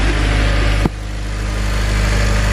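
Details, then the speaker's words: 2007 Honda Civic Si idling after replacing the tensioner, serpentine belt and idler pulley: a steady, even, smooth idle with no squeal or chirp from the belt side, and the earlier noise is gone. "everything seems to be running good get my light down in here felt doesn't seem to be wobbling around at all everything seems to be running smooth the sound that i had before is all gone"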